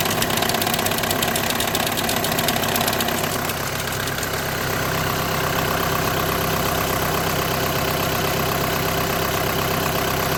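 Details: 2008–2014 VW with DSG gearbox idling: a quick, light rattle at roughly 160 per minute fades after a few seconds into an even hum. The diagnosis is DSG clutch plate vibration, with the plate bearing also tagged.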